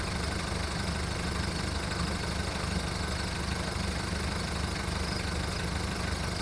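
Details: VW Golf mk1 1.9 TD diesel after 5 months winter storage: steady diesel clatter with uneven, lumpy beat at idle, about three or four pulses a second; rough cold idle still settling.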